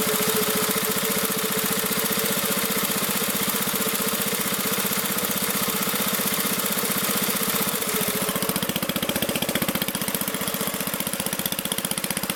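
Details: Magna air compressor with a Briggs & Stratton engine from at least 1983, sat 5 years, first start on the carburetor alone without carb cleaner: single-cylinder engine firing quick and evenly, no misses or knocks, reaching 100 psi; normal running.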